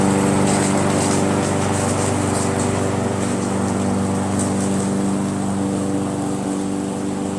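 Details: Briggs & Stratton mower engine with a Pulsa Jet Prime plastic carburetor, after its diaphragm and gasket were replaced: a steady, even buzz with no misses or hunting, now running perfectly.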